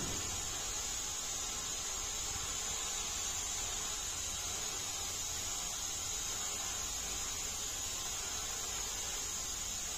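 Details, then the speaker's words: Inner tube on a Kraz 255B truck wheel, 1300x530x533 tyre, being inflated to about 1.5 atmospheres with the tube not yet fully seated: a constant sharp hiss of air escaping past the valve. "o słychać że ucieka powietrze"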